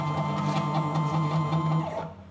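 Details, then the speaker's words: Small homemade CNC router, Arduino with CNC shield, X-axis stepper moved after setting $110/$111 to 1000: steady buzzing tone with a metallic rattle during travel, then stops. Stepper motor resonance at this speed setting. "é óbvio que aí tem uma vibração metálica ele se tem um barulho de vibração Metallica mas se acontece com essa velocidade com esse parâmetro de velocidade o motor ele gira e ele vibra muito mais"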